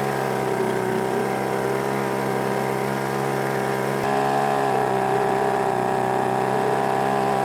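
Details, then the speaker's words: YADAO 3.5 HP two-stroke outboard, brand new, first run, 32:1 fuel mix on regular fuel, max 5000 rpm; steady high-speed buzz, even and unbroken, no knocks or misses; relatively quiet and healthy, though owner notes it seems to want to bog down. "I mean for the most part everything seems like it's good I mean it's a relatively quiet unit you know"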